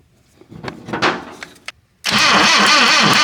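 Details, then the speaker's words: 1966 Datsun 520 farm truck abandoned 40 years, first crank after checking points and coil spark: a few sharp ticks, then fast rhythmic starter churn that never catches; turns over so not locked up, cranks but won't start. "Well, now that we know it's doing the crank dance, we should probably actually check the oil. That might seem a little bit after the fact, but it turned over so it's not locked up."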